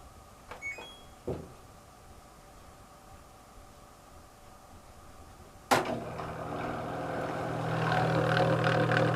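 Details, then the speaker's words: LG ventless washer/dryer drain pump, machine not draining; after a few clicks a loud droning hum starts suddenly and climbs into a rough whine, a failing drain pump that needs replacing. "but if this is what you're hearing either way it's time for the pump to unfortunately be replaced"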